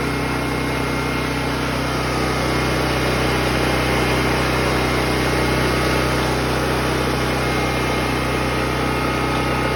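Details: Predator 6500-watt portable generator, choke moved back to run, stabilized before switching circuits on; even, steady engine drone with constant hum and no hunting or misses, normal running.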